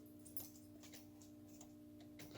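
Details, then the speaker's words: Second-gen 24-valve Cummins turbo diesel Dodge: key turned, sharp irregular starter solenoid clicks with no crank; starter cranks when jumped, fuses fine, owner suspects something he knocked loose; solenoid clicks, no crank. "nothing but i can hear the solenoid clicking here the solenoid click"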